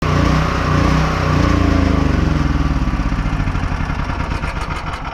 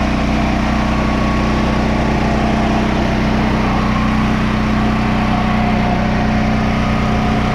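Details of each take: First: Small generator engine surging, its speed sagging and pulsing instead of holding steady; suggested fixes include a new carb, cleaning, or snipping the solenoid. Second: Generator, previously surging, after carburetor refit: steady, even drone holding one speed with no hunting or surging; generator running properly.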